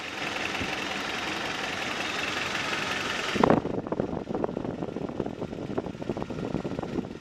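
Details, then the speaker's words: Toyota 22RE rebuilt engine in pickup truck, first fire after final assembly: steady even idle after a loud rush, light regular valvetrain ticking, no knocking; sounds healthy. "sounds good sounds good all right now that you've seen and heard it run we got a good 30 minutes of run time on it"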